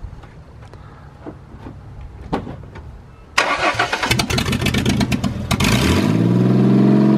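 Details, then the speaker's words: Mustang after replacing a broken spark plug wire that caused a misfire: starter whirs, engine catches and settles into a steady, even idle with no stumble or miss; smooth, no longer sounds like a tractor. "i told you it smoothes way out now how it doesn't sound like a tractor anymore it moves way out once you get the uh right coil"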